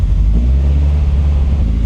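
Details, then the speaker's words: Peugeot 205 sleeper, about 700 kg, big turbo, engine built from seven engines: a lumpy, uneven note with pops in the exhaust, as if running on three cylinders. The idle needs revisiting; the exhaust may still hold ethanol or oil after heavy smoking. "Elle gratte, il y a un truc qui va pas. T'entends? Ça ronronne. On dirait qu'elle tourne sur 3 cylindres."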